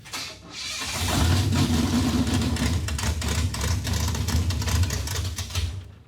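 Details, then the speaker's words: Junkyard 1957 Chevy V8 that sat four decades: it catches and runs rough and lumpy for a few seconds, then fades and dies. It can't take load in gear because the timing was retarded while the crew thought they were advancing it. "I know what it is we were retarding it and we thought we were advancing it so when you go and put it in gear it wouldn't take the load and it wouldn't run"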